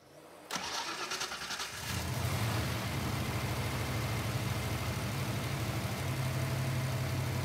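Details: V8 car after checking a suspected misfire with intake removed: cranks briefly, catches, then settles into an even, steady low idle with no stumble or skipped beats; normal idle, no misfire.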